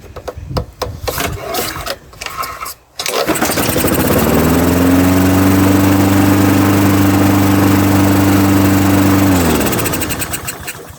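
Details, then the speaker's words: Honda GCV160 engine on a Craftsman 21-inch mower, reported as non-starting, started on choke once the forgotten spark plug wire was attached: catches and holds a steady, even drone, then shuts off cleanly; carburetor fine, only needs service. "Well guys, it looks like this is just going to be a straight out service for this little mower. Looks like the carb's good, so no need to run through the carb."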